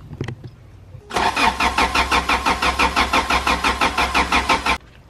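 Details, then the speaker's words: Toyota MR2 Spyder 1ZZ-FE engine after in-car connecting rod bearing replacement: cranked with a couple of coil packs unplugged so it won't start, building oil pressure before load; steady starter cranking, about three even compression pulses a second, never fires. "so I'm going to crank the engine over and not let it start that way we can actually get some oil pressure and get the bearings nice before it starts getting pressure put on them"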